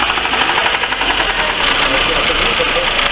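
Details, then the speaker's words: Lifan car engine at idle, warmed, during additive treatment: fast even rattling knock over rough idle; acoustic diagnosis places knock in cylinders 2–3, increased smoke; worn engine. "lifan это проблема штук двигателя делаем диагностику акустическую скота скопом показывает штук во втором-третьем себе не давали"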